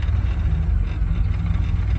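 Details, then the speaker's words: Third-gen Camaro V6 at idle with AC off and blower on highest: a low idle that lopes and surges unevenly, loudness dipping every few beats. Rough idle from known engine issues, cause not yet diagnosed. "This car does not idle smoothly. It's got motor issues."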